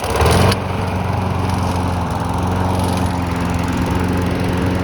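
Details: Cheap abandoned lawn mower, started in snowy weather: small engine catches and runs with a slightly wavering, uneven beat rather than a firm steady drone, some smoke; unsteady running, cause unclear.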